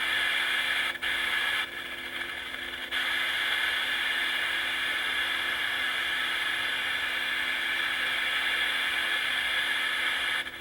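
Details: Sony FD20 Watchman flat-CRT portable TV under repair, switched to UHF with no station: steady even hiss with faint constant whine from the speaker, normal no-signal static.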